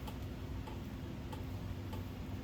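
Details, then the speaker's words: 1987 Kontrust Gulf Coast Naples 56-inch ceiling fan on medium speed: a light regular tick about every half second over a soft hum, from the canopy loose on its hanger as the fan wobbles. "that noise you're probably hearing is the canopy"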